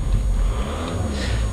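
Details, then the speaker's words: Skoda Octavia Elegance TDI diesel: a short stretch of deep, even low rumble at idle with no knocks or rattles. The engine sounds healthy. "Okay, you can hear the engine, hopefully that sounds absolutely perfect, and again you can see the windscreen is completely unmarked."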